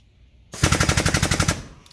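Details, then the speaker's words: Air-powered crank on a bending tool running on compressed air: quick burst of even putt-putt strokes, each one equal to one big manual crank, then stops; normal operation. "And every one of those little putt-putt noises, every single one of them means one big crank of this thing."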